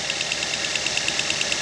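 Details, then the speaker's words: Fuel injector heard at idle through a screwdriver pressed on it, one of four injectors: crisp, even ticking about nine per second, meaning the injector is working normally; no such sound would indicate a faulty injector. "Gagawin nyo po yan sa lahat ng fuel injectors na apat kasi yan eh. Gagawin nyo rin yan sa tatlo pang fuel injectors. Pagka wala kayong narinig na ganyan tunog, sabihin sira yung inyong fuel injector."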